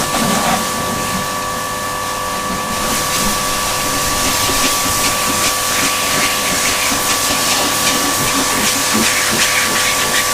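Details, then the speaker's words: Old Kärcher K7.20 pressure washer after repair of a fault where it hummed but would not start: steady hiss of spray over an even motor whine, no stalling or labouring; the washer now runs normally. "Ну, получился отличный аппарат, хорошо работает."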